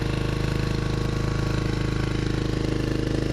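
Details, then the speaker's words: 1995 Kawasaki Vulcan 750 after replacing the solenoid and starter motor, started on choke in neutral: a steady, even V-twin thump at idle with an unbroken beat and no knocks or misses; it fired up first turn. "There she is. Fired right up. First turn."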